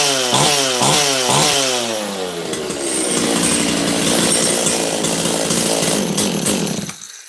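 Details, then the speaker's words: Makita DCS540 chainsaw, carb adjusted with more low jet: fires, then stumbles through uneven revs into a ragged, bogging roar and won't run; lean on the carburettor high-speed jet, owner suspects it may need a carb kit. "Oh, it's boggy, it won't run. Got it going, didn't touch the trigger right away, and then got it going, well, it's boggy."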